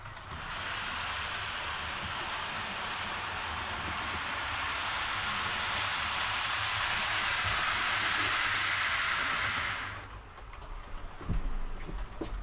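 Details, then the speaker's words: TT:120 model train on glued track: loud even hiss and rumble while running, stopping when it halts; owner suspects hardened glue under track creates hard surface, possibly the TT wheels; excessive running noise. "quite loud it's really noisy and I'm confident it's just where like I say it's everything's glued and obviously the glue goes hard and it creates a hard surface"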